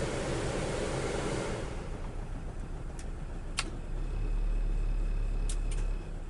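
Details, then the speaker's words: Daihatsu Taruna AC blower: compressor hums, but blower speeds 1 and 2 give no air at all and only speed 3 works, worsened by previous tampering. Air rush drops out, switch clicks, then only a low motor hum; failed blower resistor. "Nah, nomor 2 ini nggak ada angin ya, nggak ada angin sama sekali ya."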